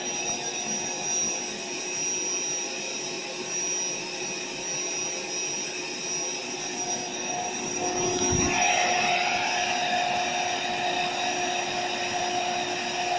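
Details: AeroBed Deluxe Raised double air bed with a suspected pinhole leak. The built-in pump makes a steady high-pitched whir with an airy rush, pitch shifting slightly as the bed firms; no hissing is heard once full: normal pump operation.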